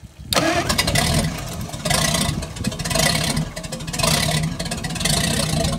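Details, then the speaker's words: Packard 356 nine-main-bearing marine engine on its first run after a rebuild: rough, uneven firing and surging revs after catching, then settling as excess assembly oil clears from the cylinders. "so first run after rebuild so we had lots of oil on the cylinders and that all had to be kind of cleaned out so i think we're getting there now"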